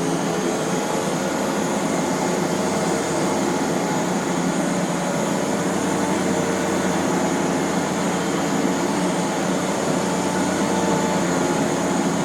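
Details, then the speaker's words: 1993 Rainbow D4C SE canister vacuum running after all its bearings were replaced. A smooth, steady hum with an even airy whoosh and no grinding or rumble; the owner has never heard it sound this good: a normal, quiet run. "I have never heard this particular machine sound as good as it does. So really happy that the bearings are all freshened up."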